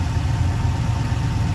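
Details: Camaro LS engine after replacing a damaged cylinder 2 rocker arm: low, steady idle burble with no sharp ticking, only a slight noise remaining, far quieter than before.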